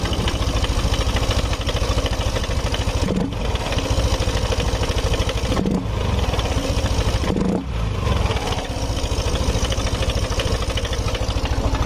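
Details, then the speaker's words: Yamaha NMAX scooter engine with hard starting and stalling, fuel pump pressure checked at 40; busy, uneven top-end clatter that rises with RPM and comes and goes. "ya suara mesinnya berisik kalau kita naikkan RPM Nih suaranya hilang-hilang apa tidak Terdengar agak sedikit hilang"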